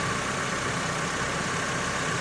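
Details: 2006 Honda Civic with a freshly reinstalled engine, first run after priming oil, warming up with a tiny leak being watched: smooth, even idle with a steady hum, no knocks or ticks; normal idle.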